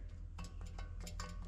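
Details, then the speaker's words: Hub rocked up and down by hand to check for play: quick, sharp clunks about five times a second from a very badly worn wheel bearing with play; bearing must be pressed out and replaced. "And you can kind of hear that play, but what that is the bearings inside of here have gone bad."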